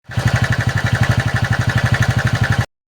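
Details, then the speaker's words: TVS Intak motorcycle at idle: rapid rattling knock at about four per second that sounds like a crank fault. It is actually the starter one-way clutch making noise, a common issue on this model, fixable in about five minutes. "तो यह हमारे पास एक गाड़ी आई थी TVS INTUC जिसमें कि आवाज आ रहा था ऐसे लग रहा था जैसे इसका क्रैंक का साउंड आ रहा है। लेकिन इसमें बहुत से गाड़ी में ऐसे होता है यह TVS इंटक में जो कि इसका यह वन वे आवाज मारता है"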